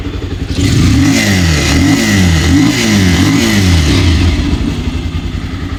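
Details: Bajaj Pulsar 220 BS6 single-cylinder engine, brought in for a bad engine noise, started in neutral after repair and refitting: it catches and revs up and down several times with steady firing and no knock or clatter, normal idle and revving.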